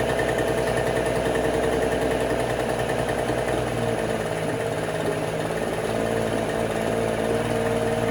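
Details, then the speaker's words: 1968 Electrolux Penta E-50 43 hp two-stroke outboard, on 25:1 fuel mix and not run in 20+ years: rough, lopsided running on only the top cylinder. The lower two stay cold with unfired plugs. Oxidized wires or faulty ignition coils are suspected, and the water pump is not drawing. "Et en plus de ça, le moteur sonnait et tournait un peu bizarrement. Les deux cylindres du bas semblaient rester froids et seul celui du haut était chaud."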